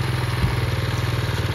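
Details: Honda CT70 clone IceBear Champion bike after a swap to a 125cc engine and wiring harness fix, around 1000 miles: quick regular putter, even pulses, no skips or rattles; normal idle.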